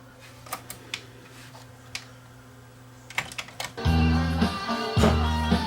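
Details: Sony TC-WE405 double cassette deck playing music, reassembled, reverse direction also bad: wavering unsteady pitch, warbling held notes; severe wow and flutter from uneven tape speed.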